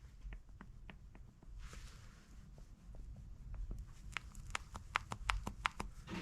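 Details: Right front sway bar link dated 2019, removed and rocked by hand: loose, uneven clicking from play in the lower ball joint, with a torn boot; the car knocked over bumps.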